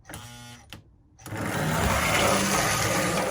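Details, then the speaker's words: Lionel postwar locomotive after cleaning, oiling and pickup installation: motor starts after a brief pause, then a steady buzzing whir with a quick regular tick; E-unit hanging up, reversing drum had a broken end pin, fixed by a new drum. "Got the pickups on, but we got E-unit problems now. More thing, always something. Sounds like it's hanging up is what it sounds like."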